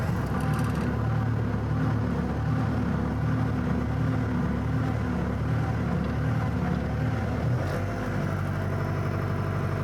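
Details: Bobcat rebuilt after a fire, started after restoration. Steady, even low diesel rumble with no knocks or misses, smooth idle; engine sounds healthy.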